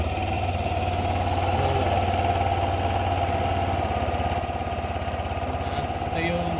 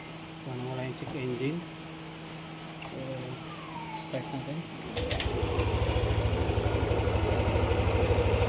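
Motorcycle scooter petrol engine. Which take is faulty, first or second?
first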